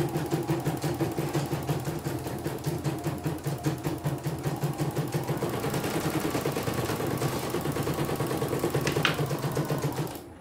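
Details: CNY E900 embroidery machine, cleaned and set up, test-stitching; steady rhythmic clatter about three stitches a second, even and unbroken until it stops; good result, no problems: normal running.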